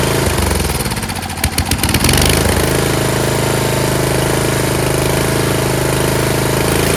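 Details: Yard Machines (MTD) 38" riding mower, 13.5 HP Tecumseh engine: catches after a rough, uneven few seconds, then settles into steady even chug, no knocks; normal running. Owner suspects possible carb issue after an earlier stall.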